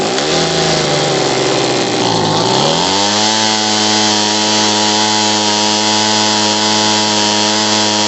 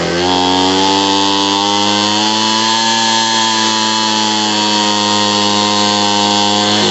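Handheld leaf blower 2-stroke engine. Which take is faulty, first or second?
first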